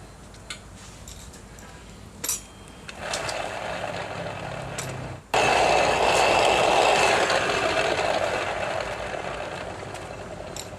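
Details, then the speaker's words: Yamaha NMAX final drive (gardan): a rough, gritty whir pulsing about four times a second from worn final-drive bearings. "Dan suaranya seperti ini kawan-kawan, suara lahar yang sudah mengalami kehausan seperti ini."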